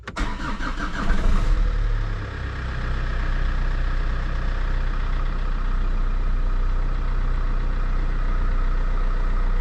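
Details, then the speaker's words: Opel Vectra C after replacing a whining power steering pump that lost assist on full lock: engine idles smoothly with no pump whine, quiet even while turning the wheel; new pump normal. "Dobra, nie wyje. Jest dobrze. Jest cichutko."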